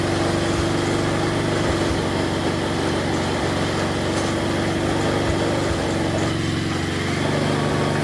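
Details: Snapper 4/22 vintage snowblower, small single-cylinder engine after repair of broken impeller and blown auger gearbox and bearings, restarted after freeing the throttle linkage: steady, settled idle with a light even putter, no surging or over-revving; normal idle.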